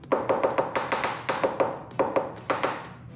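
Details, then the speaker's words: Porsche 944 fiberglass rear hatch, coin tap test: quick taps give a short, deadened dull knock over a large void (composite disbond, air pocket left without adhesive), before drill-and-fill epoxy repair. "And then as you go across, once you get to a void, it's going to create a dull sound. So listen to this. So you can hear So you can hear that dullness."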